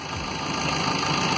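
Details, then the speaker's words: 2009 Vauxhall Corsa D 1.3 diesel that would not crank, fixed by linking a wire to a deceptive fuse that should turn positive on start: it catches and settles into an even, steady idle with no knocks or misses. "Start it up for us, Phil. Happy days. And that's it, the car is running."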